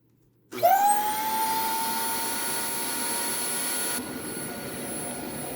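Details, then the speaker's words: Dyson vacuum with a missing back pedal and a rear valve that won't close: spins up to a high steady whine near 900 Hz with a thin rushing hiss. It makes the same noise as the owner's Dyson 25; the brushroll seems fine and the cause is unclear. "makes the same noise that mine did brushroll seems fine"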